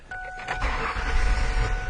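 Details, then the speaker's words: Car with crank no-start, fuel pump bypassed to run continuously, about 20-22 psi fuel pressure: catches with a low rumble for under two seconds, then fades and dies; low fuel pressure suspected. "it goes oh and it died right away let's see what our fuel pressure is and it's still holding a 22"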